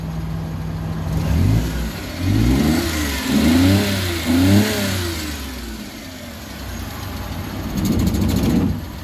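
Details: Suzuki Multicab F6A petrol engine after crank-no-start repair (no power to ignition coil, wiring fault traced to fuel pump circuit): picks up cleanly through quick revs, settles back, no misses or knocks, running normally.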